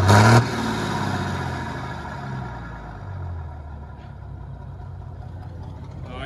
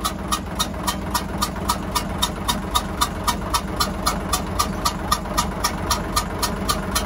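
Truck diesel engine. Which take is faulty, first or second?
second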